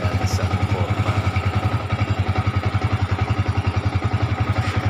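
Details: Yamaha Vixion single cylinder that would not start or stalled suddenly, caused by a weak battery: steady, even idle thump at about three and a half beats a second, no misses; no engine fault, fix is a new battery.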